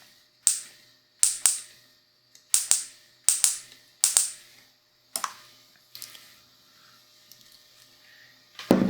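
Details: Honda Civic sixth-gen D15B carbureted distributor bench test with test spark plug and 12 V battery, coil wires correctly connected: crisp sharp snaps in quick pairs, no squeal or hiss; healthy strong spark.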